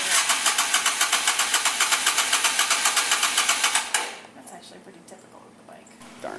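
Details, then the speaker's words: 2007 Yamaha Virago 250 after carburetor cleanout and fresh fuel: with a little choke it runs with quick, even pulsing about four beats a second for four seconds, then drops away; running on choke, much better. "Try choking it. Give it a little choke. See if it'll go. Wow, that's way better."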